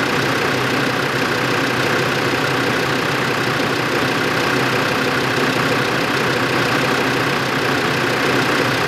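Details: 2005 Land Rover Defender 2.5 turbodiesel, manual, 4WD, 92,000 km, on lift in fourth gear, front right hub: steady drivetrain drone with faint irregular click; hub turns normally, driveshaft or hub suspected, unconfirmed.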